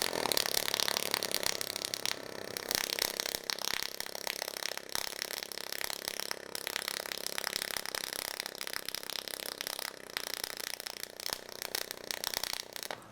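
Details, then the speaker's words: HTP Pro Pulse 220 MTS pulse MIG welding 16-gauge to 16-gauge bent steel valance repair: fast, steady buzzing crackle with high hiss; sound changes as the welder lays into it, showing good penetration. Normal pulse weld. "You can hear there that as we really lay into it, the sound changes, and that's how you know you're getting the penetration you want and everything's going well."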